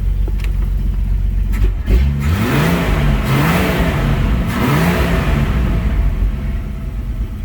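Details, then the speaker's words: AMC 199ci, warmed up to spec, after the rocker shaft was reinstalled and the oil passages cleaned, running a mismatched Holley 1920 carb. Revs hang and stumble briefly off idle but not under hard throttle; timing or too rich a jet suspected. "got a little off idle bog [Music] if i get into her hard doesn't seem like she has that problem but yeah i'm gonna say yeah that's probably timing or maybe it's a little bit too much jet"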